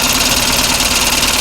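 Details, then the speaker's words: 55HP Chrysler Magnapower outboard: a steady, even starter churn with no firing beats, cranking without starting; no spark found although the plugs look good, and fuel is leaking from the carburetor; cause not yet found. "Well, it doesn't run. And I don't know how to make it run."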